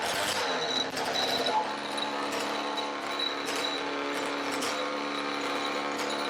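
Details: Roughly 20-year-old 50cc two-stroke mini moto engine: buzzy, steady raspy note with small throttle swells; pulls evenly without stumbling or cutting out.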